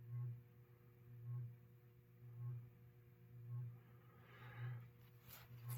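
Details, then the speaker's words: New-in-box 1989 36-inch Encon Premier Deluxe three-speed reversible ceiling fan with light; a low electrical hum swells and fades about once a second with rotation because the rotor and stator air gap is uneven, the rotor sitting off-centre. "hum you're hearing on the fan is a unfortu with this thing where the rotor and the stator are not in true a spacing equal distance spacing all the way around so there is a spot where you can hear or it's either closer or further away which causes that rhythmic hum"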